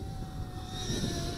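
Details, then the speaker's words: GoolRC G90 Pro brushless micro FPV racer, 1104 8000 kV motors, five-blade props, after a crash into a tree; high steady whizzing whine with a rough edge over motor buzz, caused by bent propellers, later unbent. "something's whizzing on that from the tree landing when it fell down. Hold on, [Music] folks. Okay, we had some bent props there."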